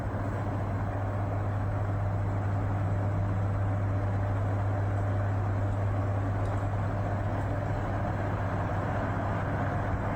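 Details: 1973 National F-30AAD table fan after temporary lubrication of both bearings and the gearbox and reassembly: steady, even low motor drone with smooth airflow, no ticking, rattling or grinding; running normally.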